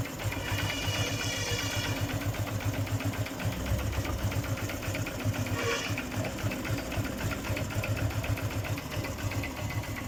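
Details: Honda CB Shine motorcycle engine at idle: light busy tapping about four per second over steady idle; unidentified mechanical ticking noise.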